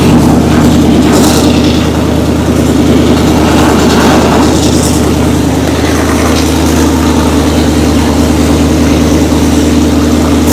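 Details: Oldsmobile Cutlass V8, motor built in 2008, first fire-up in years after a timing bump: deep, even idle that revs cleanly and settles smoothly, no knocks or ticks. Sounds healthy, no leaks.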